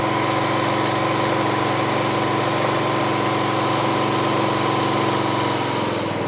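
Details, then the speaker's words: Poulan lawn tractor with a Briggs & Stratton engine after its rattling muffler was replaced, run briefly early on. A steady, even petrol thump with no rattle or ticking; it runs normally. "Sounds great. Sounds really good."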